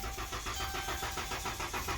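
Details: Crank, no start: starter spins the engine at an even, healthy cranking rhythm, about five pulses a second, but it never fires; battery read 2.4 volts and was jumped; starter had just been replaced; no fuel pump power.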